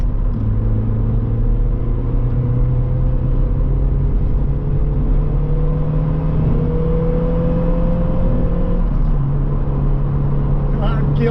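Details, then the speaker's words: Corsa B 1.4Si GLS with standard induction, before fitting K&N 57i kit, driving in gear: steady even low drone with smooth intake hum climbing gently as it pulls; healthy stock induction noise. "now here's what the carer's induction noise sounds like as standard"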